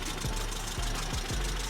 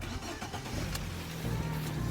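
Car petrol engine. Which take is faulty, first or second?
first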